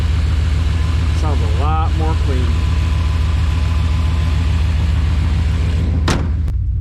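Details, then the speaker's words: 1996 Chevy K1500 V8, cold start after an MPFI conversion to fix a P0300 random misfire and fuel dumping into the cylinders: starts quickly into a steady, even low-rumbling idle with no stumbles; noticeably better than before. "here's a cold start after work this song quickly starts up now John 5 has been doing this instilly that's wonderful and you can definitely hear that it's a lot better too"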